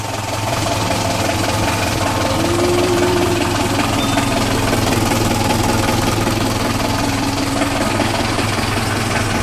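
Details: Engine failure near Serifos: irregular knocking two or three times a second under a loud steady drone; cause unknown.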